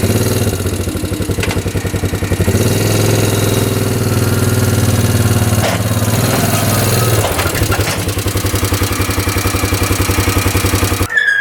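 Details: 1998 Yamaha Grizzly 600 4x4 ATV that previously wouldn't exceed 10–15 mph, test-driven after the fix: single-cylinder thump pulling cleanly through revs and load changes, no misses. Now easily doing 55, completely fixed.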